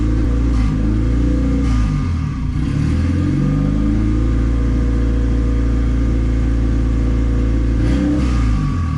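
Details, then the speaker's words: Turbo D16Y8 Honda Civic during street tuning with Crome basemap: engine hangs at a high, steady idle with a constant drone and never settles; cause found as a popped vacuum line off the idle air control valve. "I think my idle air control valve is messed up [Music] yeah you found the issue y'all line popped off the idle air control valve"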